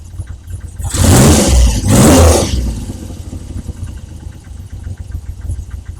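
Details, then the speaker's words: Triumph Trident T160 triple, warm, first start after re-jetting carbs for poor running at about 2,500 revs and rocker box oil-leak fix: throttle blips, then drops to a soft, even tick-over holding steady without hunting; previously erratic idle now settles. "Nice. I mean, that's really nice. That tick over is now settling. You know, it was a very erratic before and now, great."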